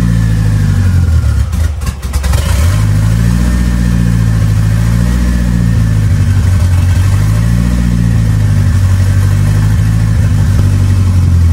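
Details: Ford 2.3L turbo Lima swap on PIMPX batch-fire engine management, being warmed up to verify base timing against the computer; catches about two seconds in, then settles into a steady idle with slight slow speed drift, running normally.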